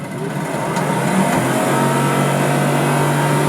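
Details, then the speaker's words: Motor spun on its own to check balance: spins up to a steady hum, constant low tone, no rhythmic thumping, not shaking the car; not perfect but the motor is not out of balance. "definitely not perfect but it's not shaking the entire car so it's not the motor being out of [Music] balance"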